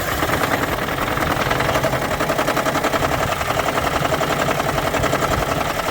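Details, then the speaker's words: 2013 Lexus CT200h hybrid, Toyota 2ZR-FXE 1.8 L petrol four-cylinder: rough, uneven death rattle at idle right after start-up, gone after a few seconds, about 60% of starts; misfire, coolant loss, rough idle; leaking head gasket diagnosed. "The symptom is that death rattle. So mine sounds exactly like that. And the rattle goes away after a few seconds, and then the engine runs fine."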